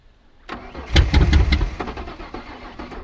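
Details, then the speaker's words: Ferguson tractor in a paddock: the starter churns in uneven bursts for a couple of seconds with no catch or firing, a crank-no-start; owners suspect it is not getting any fuel. "what's the fight it wants to it's not getting any fuel that's alright i don't think it's going to fire she's dead"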